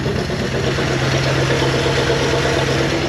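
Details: 1974 Dodge W100 Power Wagon V8, parked since 1983, steady loud idle with a rough, blatty exhaust note and uneven pulses; exhaust leaking or deteriorated. Valves may still be sticking from carbon buildup; oil pressure about 30.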